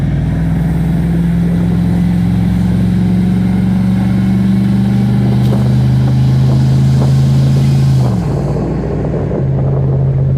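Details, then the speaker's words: 1984 Ford F-150 V8 accelerating after a timing adjustment and opening the exhaust manifold flapper door: clean pull, pitch rising smoothly to a shift, no detonation ping. Owner thinks backed-up exhaust was reigniting exhaust gas; engine feels healthier. "acceleration seems to be good once we get into a straight line here we'll be able to hear if we hear that uh detonation ping again but I don't think we're going to definitely feels a lot healthier"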